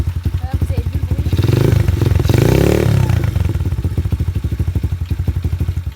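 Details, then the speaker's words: 110cc semi-automatic dirt bike started after key on and fuel opened: even single-cylinder idle thumping with a short throttle blip, steady firing; normal healthy idle. "Voilà, donc vous avez entendu le bruit, voilà c'est le bruit d'une dirt quoi."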